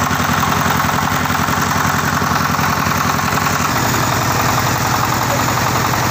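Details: Tiger 24 (D24) single-cylinder diesel with radiator fan and electric start, copper radiator: steady thumping at idle, then settling to a slightly different even beat; normal idle.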